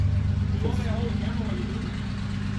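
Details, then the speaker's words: Toyota Altezza 2JZ, first startup with a new Comp 6767 turbo, idling fine. A loud, raspy blatting puff rides on every firing pulse, sounding like a big exhaust leak. "it sounds like it's actually idling fine sitting that 136 right now it just sounds like a fat exhaust leak really it's all it is"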